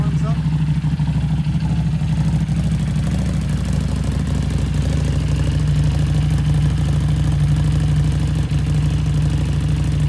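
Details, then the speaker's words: Harley Street 500 with a fresh 750 engine swapped in (60 miles), tuned with a new FP3: deep, steady V-twin rumble with an even beat, no knocks or stumbles; normal running. "so it's all tuned properly now you selling me flashing it yeah so the 750 is purring like a kitten"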